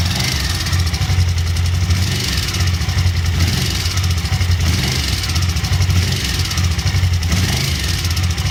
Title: Ticking sound V-strom DL1000